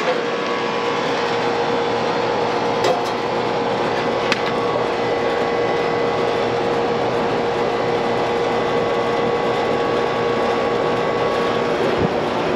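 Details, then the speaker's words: Outdoor AC condenser unit, about 15 years old and never serviced, on a roughly 80°F day: a steady, loud rushing roar with a constant mid-pitched hum. The technician suspects the fan motor bearings. "they say it does cool well just making a loud noise i think i hear myself might be that fan mode"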